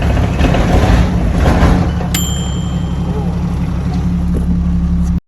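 Loud, heavy diesel idle with an uneven, lumpy beat and some clatter that sounds ready to die; running rough, cause not clear. Cause suspected, not confirmed.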